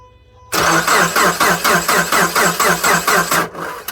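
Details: 2010 Subaru Forester 2.5 with replaced JDM engine, cold below −12°C, no codes, spark tester gap reduced to a quarter inch: slow, labored cranking about two turns a second, no spark seen or heard, never catches; new starter fixed it.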